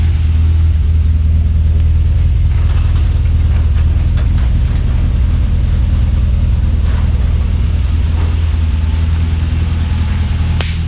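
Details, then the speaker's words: Subaru BRAT engine after broken water pump bolt repair, warming at idle before thermostat opens: steady even low rumble with smooth exhaust, no knocks or misses; healthy idle. "But listen to this thing. We never had one that sounded like that. So good. Listen to the exhaust."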